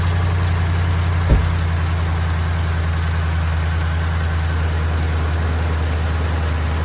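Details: BMW X5 E70 with a front-of-engine rattle, running with the drive belt removed: steady, even idle hum with no rattle, a normal idle; the noise came from the water pump, whose pulley bearing has play and is shot.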